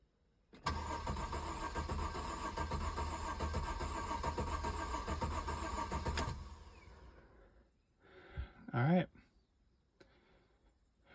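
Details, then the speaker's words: 2006 Mercedes SLK280 with a new battery and new crank sensor fitted; the brake pump did not come on at key-on. The starter cranks steadily for about six seconds and it never catches. Crank no start; owner suspects a water-damaged SAM fuse box, later fixed by ECU cleaning. "Let's see if it fires up with that new sensor in. I hope so. Okay, keys in. I did not hear the brake pump come on. It's not good news."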